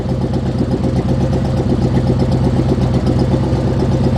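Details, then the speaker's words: 1976 GMC Vandura 3500 RV motorhome engine after some work, warming up, held in drive; uneven stumbling idle with irregular dips and sputters, missing now and then; still running rough, bogs under load, cause not pinned down. "But if you have an ear for engines, you'll know that it's still running rough. Quite rough. You've heard it sputter. When we lay into it, it tends to bog."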